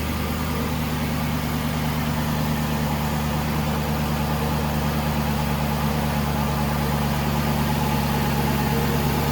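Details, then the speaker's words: 2012 Aston Martin V8 Vantage, dead cold, idles with a steady, even low rumble and no ticks, knocks or hunting; a quiet, healthy cold V8 idle. "I mean, you can see this thing's dead cold. Quiet engine, runs phenomenally."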